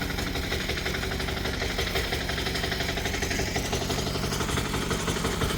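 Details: Chinese 178F 7HP diesel idling on a cold day, about eight degrees, warming up: steady, even, rapid clatter with no misses or odd noises.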